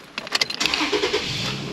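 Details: Toyota Tacoma after repairing damaged tapped wiring harness that caused a no-start; quick burst of cranking catches at once and settles into a steady run; clean, healthy start.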